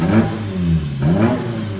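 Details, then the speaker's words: Warm car after a leaky heater matrix repair: two quick throttle blips rise and fall crisply from a steady idle with a sharp bark and no knocks; healthy rev. "oh little proper Ry little thing yeah love a lovely old car"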